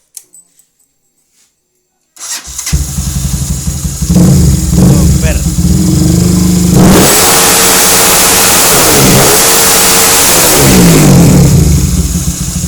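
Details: Honda CB fuel-injected after fitting a 200cc CBR-type IMB racing injector (replacing KH version) before ECU remap: catches quickly, idles evenly, revs cleanly on throttle blips without stumbling or popping; normal start and revving.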